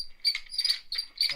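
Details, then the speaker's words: BMW E92 M3 S65 engine throttle actuator, removed and run on the bench: short shrill chirping squeaks in quick bursts as it moves; this was the squeaky, still-working unit of two (the other had completely failed), from a dry gear lacking lubrication. "That sounds awful. So this was the one that had completely failed. This one was the squeaky one. Still alright, but was squeaky."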